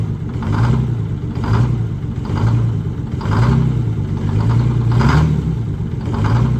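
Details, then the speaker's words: International cabover with Detroit Diesel 6-71, cold start at 33°F on summer fuel suspected gelled, winter treatment added, raised to about 1,000 rpm: lopes unevenly, swelling and sagging about once a second, not firing on all cylinders for a few seconds. "take it up to about 1,000 RPMs that's good that's fine wasn't wasn't firing on all cylinders there for a few seconds"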